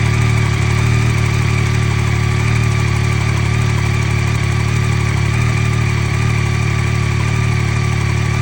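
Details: 2023 Yamaha XSR900 idling steadily after a cold start with a light, even ticking over a low hum; the owner asks whether this is normal.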